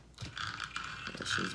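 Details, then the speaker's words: Traxxas 4-Tec RC car after repair and reassembly with the motor refitted: short spin-up with a clean, steady gear whine and no grinding or skipping; the earlier odd noise is gone and the drivetrain is healthy. "I'm go ahead and just try give it a spin let's see what she sounds like"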